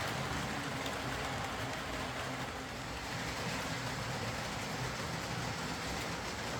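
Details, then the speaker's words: Old Lima Class 40 model locomotive in BR green on a replacement motorised chassis after the original front bogie failed; quiet, even whirr with no surges, stutters or dropouts over several seconds, no pickup issues, low current draw, smooth running. "In fact, I'd go as far as to say this may be the best running Lima model I've come across. It pulls away nice and slowly, it's quiet, it runs smoothly, there's no pickup issues, and it's got a pretty low current draw, so you know, what more do you want?"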